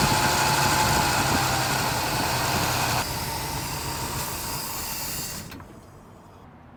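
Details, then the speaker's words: Barn-find 1972 Chevelle V8, first start after Rochester 2-jet carburetor rebuild: lumpy, hunting idle about three pulses a second; rough running because one vacuum hose was left disconnected, later capped. "We forgot one vacuum hose. We did? Yeah, that's why it wasn't running very good."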